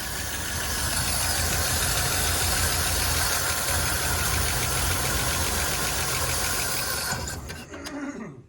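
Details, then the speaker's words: 1972 Chevy C10 six-cylinder: after the carburetor was blown out with an air hose and the bowl filled, it runs on its own but idles unevenly with an irregular lope and stumble, then dies away. A bad accelerator pump is suspected, and a vacuum leak was also noted. "There, it's running on its own now. It's running on its own, but I bet you the accelerator pump is probably bad."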